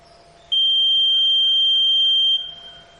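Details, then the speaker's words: Electronic voting machine control unit during a mock poll, after three votes the close button is pressed: one long shrill beep of about two seconds confirming polling has closed. "अब तीन बार डालने के बाद हमने यहां पर close button दबाया जैसे एक रोज बटन ढाबा देते हैं यह मशीन लगता है सब कुछ जैसा की आप यहां देख रहे हैं"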